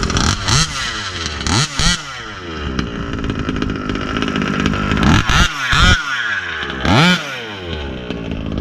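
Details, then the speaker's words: Rovan 36cc big-bore two-stroke with a Victory expansion pipe, started without choke on a hot day; crackles up in sharp rising blips, the pipe coming on with a buzzy howl, then falls back to a low, lumpy idle, healthy two-stroke revving. "Pipe sounds badass."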